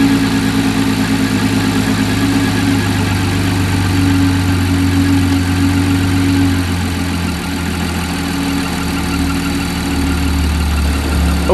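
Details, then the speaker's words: Audi 3.0T supercharged (B8 S4/S5/SQ5, C7 A6/A7) at startup after PCV relocation with catch can: steady idle with faint constant whistle from the back of the PCV; normal crankcase vent air noise. "there was a noise right on Startup that sounded kind of like a whistling noise and I want to show you guys what it is so that you understand it's normal so that sound is coming from the back of the PCV"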